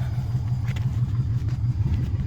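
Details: 1958 VW Beetle with a swapped 2002 Subaru Impreza 2.5 NA flat-four (KEP adapter, VW IRS transaxle): steady, low, even rumble with a soft regular pulse, no knocks or ticks; normal healthy idle.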